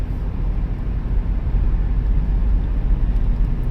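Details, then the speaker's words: Minivan "Blondie" at interstate speed on nice new tires just swapped in: only low, even road rumble, no thump, rattle or shake; dead smooth highway cruise. "Oh, it's dead smooth. This is awesome. Yep. Yeah, that's mint. Not a noise, not a shake, not a rattle, nothing."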